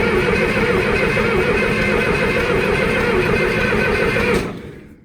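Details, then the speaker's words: John Deere 2510 diesel turning over about four strokes a second, uneven, never catching, starter weakening; cranks no start, smoke present, fuel reaching return line but injection pump possibly short of fuel. "sounds like it's a little too getting a little weak though so I don't know how much more I want to crank this here"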